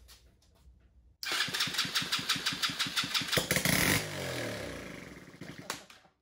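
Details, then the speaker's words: Chinese 125cc ATV after top-end rebuild, first start with starter fluid once spark confirmed: silence, then the single cylinder catches and pops in quick even beats before winding down; starts and runs normally. "All right, guys, well, this thing is a runner. I am ecstatic that we actually have spark, and it took off and ran for the first time."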